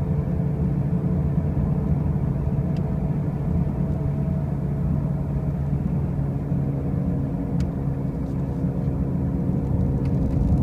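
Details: 2005 Pontiac Grand Prix with brand new wheel bearings and new tires: a steady deep rumbling hum fills the cabin while cruising, even and continuous with no clicking; a loud drone, cause unclear.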